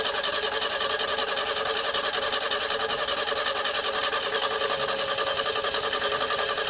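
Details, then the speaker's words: 1970 Renault R6 barn find being recommissioned: even starter churn at about 2.5 beats a second, but the engine never catches despite fuel pressure, air and starting spray. Distributor cap cleaned without success and 12 V confirmed at the coil; ignition fault suspected. "la voiture ne veut pas y aller elle peine on sent bien qu'il y a quelque chose qui manque pour que le moteur veuille bien se lancer"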